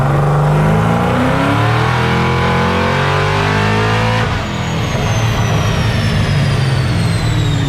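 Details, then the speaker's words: LS Postal truck with new supercharged LSA V8 setup on dyno being tuned by Fasterproms, under load: deep V8 roar climbing smoothly with supercharger whine, clean pull; timing raised 1.5 degrees to 21.5 with no knock, engine healthy. "But the fact that we went 1.5 degrees, it didn't knock. That's good. Right. Need a All solid motor, right? Feels good right now. She's healthy, that's for sure."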